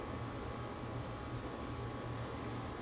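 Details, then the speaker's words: Crest Audio VS900 power amplifier with an extra resistor clipped on to slow the cooling fan: soft, even fan hiss with a low steady hum and no ticking or rubbing, quite quiet with reduced airflow. "not a lot of airflow but there's airflow there that's for sure it's quite quiet"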